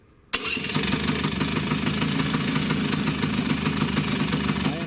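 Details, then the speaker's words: Vespa two-stroke engine freshly serviced with new bearings: even, steady idle with no knocking or rattle; normal idle. "You hear difference in the engine noise, but it's not coming out, not at all."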